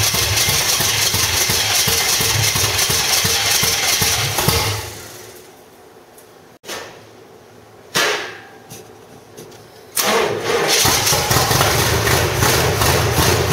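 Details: 1985 Stepside truck with a reportedly 400 hp Corvette V8, cam, roller rockers and headers: runs, dies away, then catches in rough bursts before settling; hard starting from a gummed-up carburetor slowing fuel flow.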